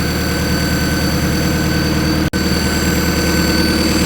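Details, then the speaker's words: Cold-start idle sitting slightly high but steady and even on a turbo B-series CRX (12.5:1 compression, stock sleeves, Hondata S300, E85, maxed 1000cc injectors); no idle control valve fitted, so higher cold idle is expected. "idles a little high but since there's no idle control valve it'll actually cold start like this so in a Honda a little bit higher idle rpm isn't a big deal"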